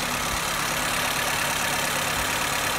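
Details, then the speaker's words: Car with electronic idle valve; quick, even firing pulses held at a raised steady speed with no dip. High idle, possibly from a loosened idle-valve adjustment screw. "Herkese merhaba arkadaşlar aracımız da bir problem var yani yükselmesi var"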